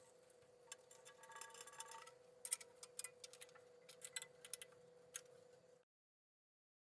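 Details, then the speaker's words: EMCO PC Turn 50 CNC mini lathe Z-axis, first dry run after ball nut bearing-ball replacement and grease nipple fix: quiet steady motor hum, scattered light ticks, no grinding or catching; normal ball screw axis motion. "this is the first dry run the zxs seems to be running okay"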